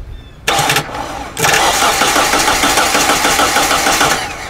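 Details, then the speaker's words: Hyundai Elantra with a no-crank fault, after a corroded relay was found and the starter circuit was jumped: the starter spins the engine briskly and evenly at about three turns a second; normal cranking. "but now that that's connected you see we have a ground again this is a power but it's showing a ground because it's making its way through the winding of the solenoid now when I hit this it should crank"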